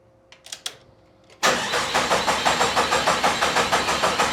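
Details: 1972 Jeep Commando with swapped-in 2000 Cherokee 4.0 straight-six, AW4 and 231 transfer case, first start attempt after a year's build: starter cranks evenly, about three compression beats a second, never catches; no spark.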